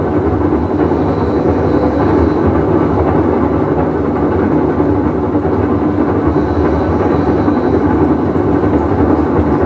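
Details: Whirlpool Cabrio washer with bad bearing, full wash cycle; continuous heavy rumble with slow rhythmic surge as drum moves; tub bearing rumble.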